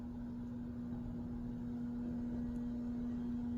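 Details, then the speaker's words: Mid-1990s Hunter Arts & Crafts ceiling fan with Mission light kit, running at top speed. A steady, fairly loud low hum at constant pitch, with no rubbing or ticking. Likely mostly parts vibrating, and the shade adds to it; the cause is not confirmed. "Sounds like an orchestra warming up. That's probably the worst of it right there."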